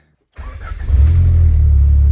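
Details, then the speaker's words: Turbo B18 Honda Civic 4-door sleeper with custom intercooler and exhaust, started after wiring up injectors; quick crank, catches straight away and settles into a deep even idle, purring like a kitten, no misses or knocks; exhaust doesn't sound too bad; healthy. "look at that PS like a kitten so the exhaust doesn't sound too bad but I already started it and I reved it"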